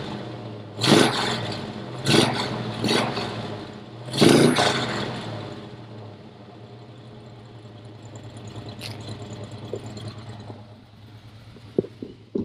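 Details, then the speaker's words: Camaro with an upgraded 350 V8, intake manifold and Cragar headers, mic pointed at the engine: four quick throttle blips rise and fall crisply, then a low, even idle with no miss or rattle; healthy running. "sounds great right i do love to add in the rpm thing i do think it's so important to be able to make sure everything is running well"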